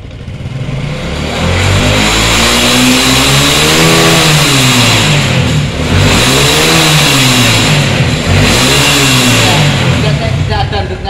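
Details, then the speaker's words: Honda Supra 125 carburetor motorcycle after a full service including carburetor air-fuel adjustment, tested with gentle throttle before riding: engine picks up smoothly and falls back steadily, no knocks or rattles; normal revving. "kita hidupkan ya enak ya kita gas cara pengetesan sebelum kita jalan kita gas secara perlahan jangan langsung po"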